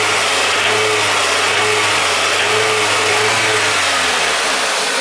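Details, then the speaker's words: Toyota VVT-i engine (2001–2018 family) runs fine at low revs, but as revs are added a sharp metallic hammering knock shows through the roar. The owner suspects engine failure and bearing damage; rod knock. "In that area I can add more revs and soon we can hear small hammering sound. It is that."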